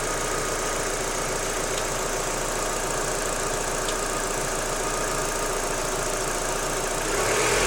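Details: Daewoo Lanos 1.6 16V idling: light, fairly regular knock from the front of the engine; gone after replacing the timing belt and rollers, though the removed parts showed nothing suspicious.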